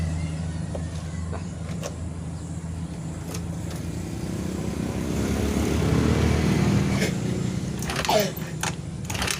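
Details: Honda Beat FI injected automatic scooter whose engine seized from dry, low oil and would not crank; oil added to the piston, engine freed and restarted. Low idle with a wavering, slightly uneven beat that swells and sags: rough idle after restart.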